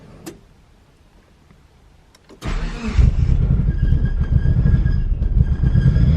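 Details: DSM Talon on its first start after a new head gasket and transmission rebuild, fresh oil and filter: after a click it catches and runs lumpy and uneven with a wandering beat; rough running on first start.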